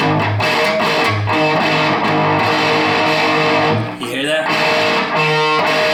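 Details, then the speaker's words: Mojotone Plexi 100W kit, unbalanced output tubes, one climbing to about 38 mA versus 28–31 mA: guitar chords gritty and squashed, volume drops when played harder; bad distortion and compression develop after a minute. "that it feels like a like a compression like a bad compression um the the the volume goes down when when I hit when I play harder"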